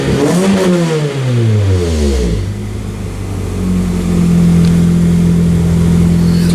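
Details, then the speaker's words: 2003 Pontiac Vibe GT after replacing the ignition coil and spark plugs and reconnecting the battery; revs drop and settle into a smooth, even idle with zero misfires across all four cylinders. "sounds better [Music] sounds much better zero misfires across all four"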